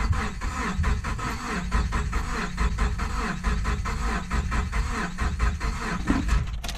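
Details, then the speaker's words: Car bought from marketplace, cranking on a dying jump box: steady, even starter rhythm but engine never catches despite compression, confirmed spark and smell of fuel; spark plugs look original and covered in what appears to be coolant, crank no start. "it sounds like it it has compression definitely has sparked I checked for spark and I know it has fuel cuz I can smell fuel but we got nothing"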